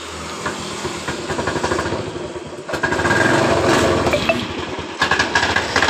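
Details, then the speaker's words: Honda Beat ESP scooter, heavily loaded and rarely serviced, idling: rough, uneven clatter from the CVT belt case; worn rollers and roller housing in the CVT pulley. "dengan keluhan pemiliknya suara kasar di bagian bak cvt-nya"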